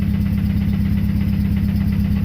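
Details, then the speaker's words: RX-7 with SR20VET swap, idling in neutral after letting go near 7,500 rpm redline with misfire: rough idle with a deep, heavy regular knock on every crank turn; rod knock, also a missing cylinder, engine blown. "Well, we also have fucking rod knock."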